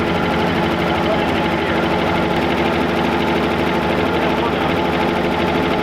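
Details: 1966 Chevrolet C10 parked for an unknown time, running after charging the battery: steady even engine run with a continuous mechanical chatter and no misses; sounds healthy.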